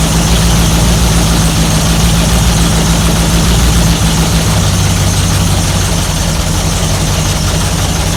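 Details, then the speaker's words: 1955 Chevy 210 Delray 265 V8, first start in a long time: loud steady drone revved with throttle held, not idle, pitch dropping halfway as throttle eases; runs cleanly with no knocks or misses. "I mean it's it's not idle. I have it set at idle. I was giving it gas. Rev up a little bit."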